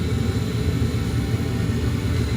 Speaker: you can see this is a exhaust fan it comes first on I can hear it and this if I touch it it's running okay